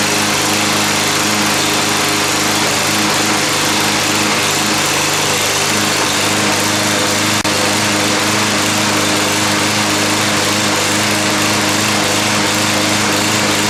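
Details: Cub Cadet push mower running after a cleaned gas tank and carburetor, a new OEM drive belt and a reassembled transmission; the small engine holds a steady, even buzz with no surging, misses or knocks. Running properly.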